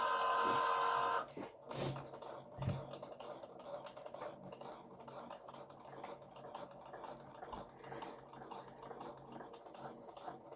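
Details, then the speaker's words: Craft cutting machine with fine point blade cutting a pop out gatefold card part: couple of beeps, then faint stop-start carriage whirring as it prepares and cuts; normal operation. "And then it's preparing it. And you'll see that it um starts cutting."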